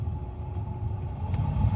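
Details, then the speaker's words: Ford blower motor running after a blower motor resistor replacement fixed the fan being stuck on high, cycled through speeds 1 to 4; steady, even whirr with low rumble and faint hum, no ticking or scraping: normal blower operation. "And you can already hear the motor running. So that's your one. That's your 2,"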